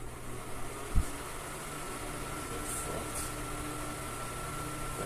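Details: Arno Turbo Silence Force 40cm fan after repair of shaft end play and a screw set too deep that hit the blade; soft steady hum and airflow, no rubbing, ticking or rattle; runs quietly.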